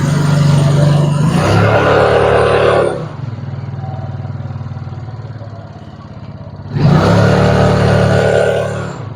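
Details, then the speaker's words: Used carbureted Yamaha Mio scooter, weak and rough: engine revs twice with quick even ticking that grows louder as throttle opens; mechanic suspects rocker arm and camshaft area, then disassembles. "Nah, terus suara ngelitiknya itu pada saat ditarik gas itu, jadi suaranya makin kenceng ya."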